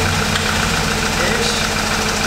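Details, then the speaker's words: Wrecked 2018 Audi S3 8V 2.0 with front-end and engine damage, first start after crash, no dash lights; uneven idle with irregular knocking clatter, bad noises; owners suspect plastic inside or broken throttle body; rough idle. "there's some bad noises let everyone any lights on the dash there's no lights at all no no no we've got some bad noises potential plastic in there possibly"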